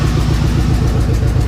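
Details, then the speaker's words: 1988 Chevy K1500 with new open shorty headers, warm, not a cold start: deep loud lumpy idle with raw bark; owner suspects an exhaust leak from a bolt not tightened, unconfirmed; loud rough idle, possible exhaust leak. "It was just running. I just had it running. So it's not really a cold start, but it sounds like there's a leak. Like maybe I didn't get one of the bolts tight, but I don't know."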